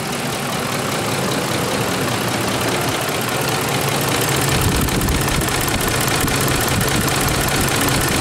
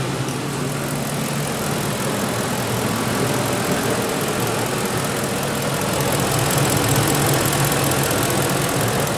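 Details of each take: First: 2004 Ford F150 with the 5.4 3V Triton petrol V8 at 104,000 miles, idling with a loose, diesel-like clatter before repair. Cause: worn cam phasers; replacing the VCT valves did not stop it, but replacing both phasers with Ford parts did. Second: 2004 Ford F150 with a 5.4 3V Triton V8 at 104,000 miles, after both cam phasers were replaced with original Ford parts: smooth, quiet idle with only a light injector tick. Before the repair it sounded like a diesel, and new VCT valves alone hadn't helped.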